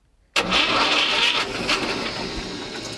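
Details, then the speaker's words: Old diesel in a homemade displacement boat, after long standing: engine spun on the starter to run the fuel pump and fill a possibly air-locked system before decompressed start; busy cranking rattle settling over three seconds. Starter cranking. "Сначала мы просто запускаем двигатель, чтобы заработал топливный насос и подал топливо в камеру сгорания, чтобы они у нас вообще как бы система наполнилась топливом."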